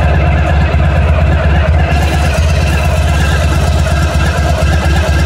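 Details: 1991 Honda ST1100 motorcycle at idle with a fast, light metallic rattle near the front of the engine over the firing beat, noticed during an oil change. It is inaudible with a helmet on, and the cause is unknown.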